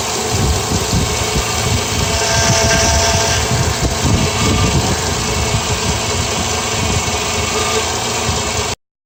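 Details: 2008 Honda Accord V6 smooth even idle with steady low hum and no power steering whine or squeal riding over it; engine sounds healthy.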